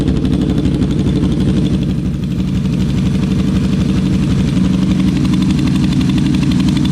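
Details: Yamaha V-Max V4 motorcycle at idle after a fix restored all four cylinders: deep, even lumpy idle with no missing beat, idle slightly higher; airflow was balanced earlier on three cylinders; normal idle.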